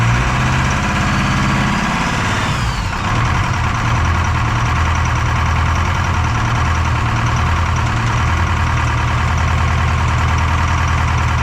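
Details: Detroit 4-53T diesel with 9G90 injectors, about 30 miles on them, full rack with the modulator off: steady loud run with an uneven, lumpy beat. Number two injector, coldest by IR gun, not firing: dead cylinder misfire.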